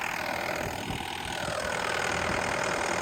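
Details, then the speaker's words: 6.5-ton digger (DX63) diesel after a no-start with error codes: steady, even idle with a soft regular beat and no misses, knocks or hunting; engine running healthy. "am I glad to hear that engine going"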